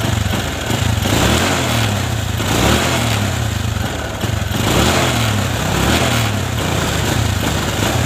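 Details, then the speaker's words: Honda Supra 125 carbureted motorcycle, serviced several times, cold engine blipped: revs bog and stutter on each throttle rise instead of climbing cleanly; hesitation only when cold, normal when hot; cause suspected, not confirmed. "Tetapi kalau sudah mesin panas, motornya normal, tidak ada permasalahan, tidak ada kendala, ya. Tetapi kalau mesin dingin dan posisi mau gas tinggi itu terkadang itu telat."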